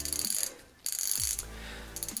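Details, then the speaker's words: Shimano Deore 6010 rear freehub, about 2,500 km, just reassembled with fresh grease after the bearing race nut was threaded back in, spun by hand: a quick, even run of light ratchet ticks with no grinding or drag, so the freehub is healthy. "now I'm using my tool it's on its place clicking beautifully very very good"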